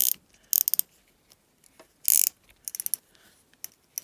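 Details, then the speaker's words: Piscifun Carbon X spinning reel after drag abuse test, reassembled with steel and carbon drag washers: crisp, even clicking bursts as line is pulled, bright and regular with no grinding; drag sounds just like new. "You guys can hear? Sounds just like new, guys."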